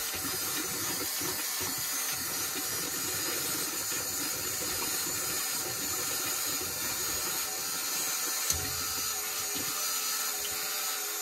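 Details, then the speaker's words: Construction machine diesel after fitting a new lift pump, priming filters: continuous hissing rush of fuel over a steady pump hum, no sputtering, flow noticeably stronger than before; normal fuel lift pump priming. "right so we're going to fill the filters up now I've got my vice grips on there a going to help right see that filter is filling up can already tell that's a lot stronger floor"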